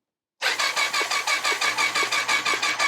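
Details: 1999 Triumph Sprint ST 955: starter cranks in even pulses near five per second, never fires; spark confirmed at all plugs, crank-no-start traced to corroded injectors.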